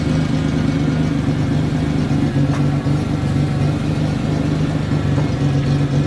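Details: 1992 Ford Explorer, 4.0-liter, 5-speed junkyard truck, loaded to reveal a miss that might not show at no-load revs: a steady, even drone with a firm low hum and no skipped beats. All cylinders firing, normal under load.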